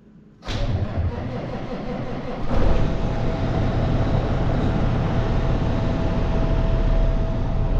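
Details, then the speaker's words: Peterbilt with an ISX Cummins CM2250, first start after repairing a front structure leak, run briefly with no coolant in it: short crank, then a steady, even diesel idle with no knock or miss; runs normally. "all right well she runs sounds normal let's uh shut her down"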